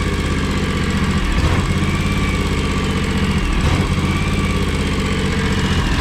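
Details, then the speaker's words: 15+ year old, high-hours John Deere X729 lawn tractor before service, warming up for an oil change: uneven lumpy idle with a stumble every couple of seconds; missing at idle, owner suspects a clogged carburetor. "hear that how it's like missing when it idles i think it's kind of choking the carburetors kind of clogged or something"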